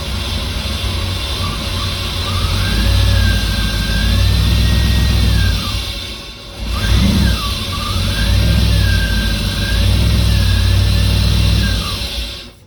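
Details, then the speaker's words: 1989 Firebird Formula 350 tuned port injection, 10,000 miles, long stored: engine catches, revs in two surging bursts on sprayed cleaner, then dies; injectors suspected plugged, not confirmed. "Actually, it'll run on this brake clean too. It might be a little softer on that engine than that starter fluid."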